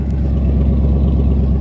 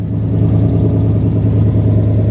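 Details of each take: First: 1977 AMC Matador sedan, 360 (5.9 L) V8, idling with no muffler fitted: loud, deep rumbling idle with raw, unmuffled exhaust pulses thumping steadily. Smoke seen from the middle of the engine. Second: 1977 AMC Matador sedan with 360 V8, idling with a deep, even burble, steady firing and no knocks or misses; runs very nicely, coolant believed present. Normal idle.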